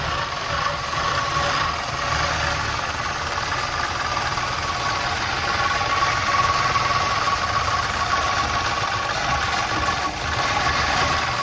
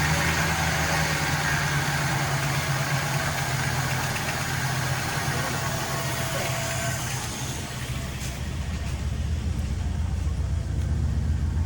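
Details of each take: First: 1961 Chrysler Newport big-block V8, first start after sitting for years; fuel pump working: steady, even idle with a faint light tapping over the exhaust rumble; sounds healthy. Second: 1961 Chrysler Newport revived after sitting for years: steady low idle with a faint leftover ticking hiss, noticeably quieter after tightening loose spark plugs; engine noise caused by loose spark plugs, improved but not fully gone.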